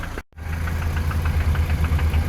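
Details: VAZ 2121 fitted with a Toyota 3S-family engine at steady idle: light regular tapping heard around cylinders 3 and 4, near the camshafts or lower. Recorded after checking valve clearances, cam gear and camshaft bearing beds; owner considers the knock a 3S trait.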